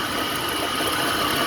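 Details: 2004 Dodge Ram 1500 SLT 5.7L Hemi at idle, hood open: a steady faint thin whine over the hiss, with vibration felt, from a failing alternator.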